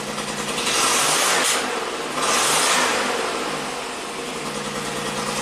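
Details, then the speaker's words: 1990 Buick Regal GS V6 with severe low power, running with an injector fuse pulled and replaced: uneven running that swells and sags, shaking; misfire from two dead fuel injectors leaving it on four cylinders, suspected on rear cylinders. "see how it's shaking let's pull that fuse out worse better now I'm sure we have a misfire on one of the rear cylinders because the plugs fed out"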